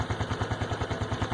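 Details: Honda Biz 110i after changing oil from 20W50 to Honda-recommended 10W30: small single idles with even regular thump about ten per second, no tapping or rattle; the engine noise stopped, normal idle.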